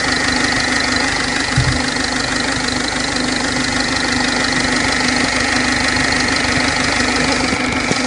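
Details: 2006 Ford 1.4 TDCi diesel at idle: an irregular tick-knock about three per second over a sharp, rattly clatter. Abnormal engine noise, source unknown.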